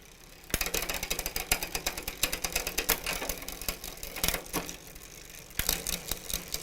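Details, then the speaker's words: Huffy bicycle with Shimano rear derailleur, pedaled while shifting: irregular rapid ratcheting clicks and chain clatter, skipping gears or refusing to shift; low cable tension, fixed by adding tension at the cable adjuster. "basically you're shifting through the gears and you get to a point where it doesn't want to shift or it skips a couple gears as you're going"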